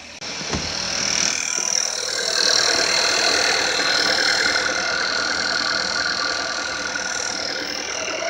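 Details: Seat Ateca 1.4 TSI 150 hp ACT (2017–2018), low mileage: fast, fairly even light rattle, about four per second, over a quiet idle, likened to a card in bicycle spokes; loudest at start, fading after ten minutes; cause unknown.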